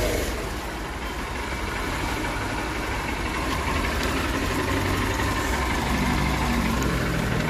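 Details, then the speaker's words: Honda Unicorn BS6 motorcycle that would not self-start with a draining battery, after a voltage-drop test showed no drop; now starts on the self-starter with a smooth, steady single-cylinder idle picking up gently, running normally. "ഇനി വണ്ടി self അടിച്ചാൽ start ആകുമോന്ന് നോക്കാം start ആണ് വണ്ടി"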